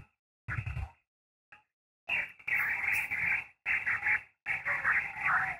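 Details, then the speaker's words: Victron SmartSolar 75/15 MPPT charge controller feeding an off-grid HF ham radio, toroid fitted on the load-port power cable, 17 meters: choppy raspy, hissy buzz over radio audio; RFI hash persists. "wow that's a bummer you can hear it but I'll go ahead and show you the screen again so you see the hash is still there"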